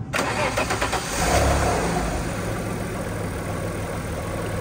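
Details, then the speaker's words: Alfa Romeo 156 2.5 V6 after misfire repair on cylinders 1–3 (wet plugs and coils, cams retimed, tensioner reset, belt replaced): cranks briefly and settles into a smooth, even idle with no stumble; no fault codes return. "purring like a kitten no fault to come back on the Diagnostics so Case Closed timing resolved misfire facilities signing out"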